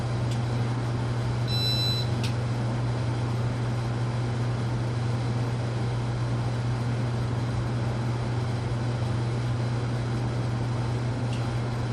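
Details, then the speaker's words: Casablanca Panama ceiling fan after bearing replacement and new flywheel, on speed 4: steady low motor hum with an even whoosh, no bearing scraping as before, runs smooth and quiet. "As you could tell before, last time you would already hear the bearing scraping by now. No longer the case at this point. It's operating nice and quietly on speed 4 here."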